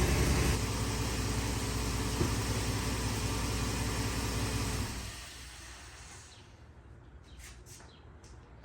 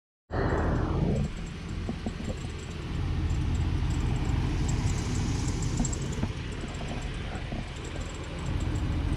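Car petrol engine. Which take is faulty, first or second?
second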